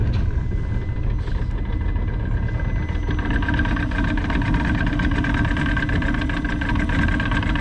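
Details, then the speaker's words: Johnson 90 hp outboard after power pack replacement following weeks of electrical faults: smooth, even low burble at idle with no misses or knocks, sounds healthy and quiet; normal idle. "Sounds healthy, pretty quiet."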